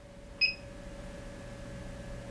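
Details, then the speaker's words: AFERIY P280 power station, 12 V DC output with the USB ports maxed out, stepped up to 22 A (just under 600 W). A single short high beep over a quiet hum as the DC output overloads and shuts off. "Okay. So, 22 amps overloads the DC output when you have the USB ports maxed out."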